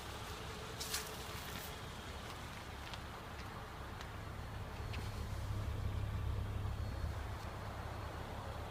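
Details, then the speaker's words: 2007 Acura RL J35A8 V6 at idle: low steady rumble with faint light ticking; owner asks whether this ticking is normal. "Just wondering if this noise is normal ticking for the J35A8 engine."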